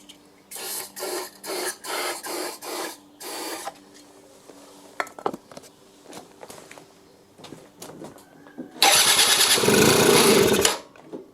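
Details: Benzer GT 50 two-stroke 50cc scooter after 4 years unused, cranked on the electric starter with starting spray in the air filter: six short starter bursts without firing, then one brief loud catch; oil flooding the carburettor and crankcase prevents it running on its own.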